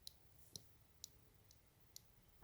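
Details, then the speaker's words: Sharp, light clicks about twice a second from inside a newly bought Aero 15 laptop, heard while using it with only Chrome open. It is an intermittent internal clicking of unknown cause. "you know it sounds like a clicking inside the machine it's really annoying"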